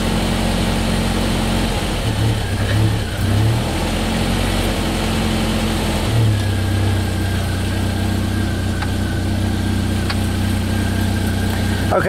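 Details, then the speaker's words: Jeep Wrangler TJ with a high-idle complaint and a lean fuel code: with the TPS unplugged it idles correctly at 941 rpm, an even low hum with an occasional slight swell. Plugging the TPS back in raises it to 1700 rpm, so the TPS is bad. Normal idle. "I actually unhooked the TPS and now the engine's running at 941 like it's supposed to"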